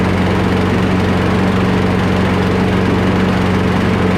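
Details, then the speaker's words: Free curbside Craftsman push mower, single-cylinder, after carburetor removal and full cleaning, fuel line refitted and air box reinstalled: steady, even drone with no surging or misses; normal running. "Let's put this under a load and see what it does. That sounds much better."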